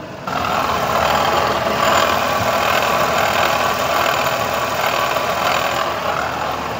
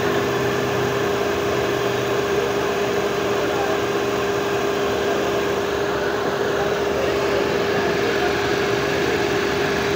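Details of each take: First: Renault Kwid Climber at idle before water pump replacement: a rough, gravelly growl running under the idle, steady with engine speed, described as a terrible noise; worn water pump bearing. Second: Renault Kwid Climber just started after water pump replacement and cooling system air bleed: a smooth, even idle hum with no knocking, rattling or whine, with the old noise gone and less vibration; normal idle.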